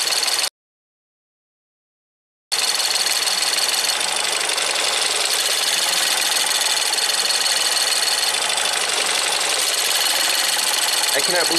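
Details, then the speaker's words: Ford EcoBoost van with P0106 MAP code and stalling: fast metallic ticking, about four per second, with a high jingling ring over the engine; excessive high-pressure GDI fuel pump noise; no code set. "now I know these things make sounds but it sounds like Jingle"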